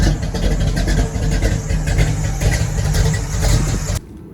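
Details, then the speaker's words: Deep, low rumble holds steady for about four seconds before cutting out, with the car back running after a new Brawler 650 double-pumper carb and new spark plugs. Rpm is unknown with no gauges; the engine idles evenly, normal idle. "Alright, man. Y'all see Shorty back running again, giving me a headache, man."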